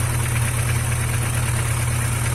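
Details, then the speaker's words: Chevrolet Vectra engine at cold idle, recorded close up before applying an anti-friction additive: quick even light tapping that only happens when cold; sounds like valvetrain tick, cause not confirmed. "Ele só faz isso no frio, galera. Esse barulhinho aí chato."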